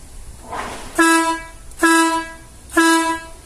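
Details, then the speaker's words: Air horn after its compressor was removed, powered and flushed out: three loud, full blasts about a second apart with steady strong tone, now blowing much better, normal sound after repair. "дует конечно намного лучше баку получилось"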